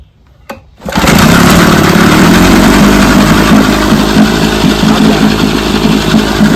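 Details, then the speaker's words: JB's $5 vintage outboard, after three days of carb, spark and gear case work, started in neutral with a little throttle and a half pull: catches at once and settles into a quick, steady two-stroke putter; normal start. "JB has been helping me for a lot of years, but he finally took a motor from beginning to end and got it running."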